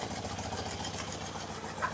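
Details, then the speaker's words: BMW R90/6 Airhead after top-end reseal with one valve and guide replaced, listened with mechanic's stethoscope, valve cover off with oil spraying: quick even light ticking over steady idle on one side only, absent on other; valve train tick. "so I can hear a tick tick tick here on this side which is not present on the other side but at the moment it really doesn't sound all that terrible"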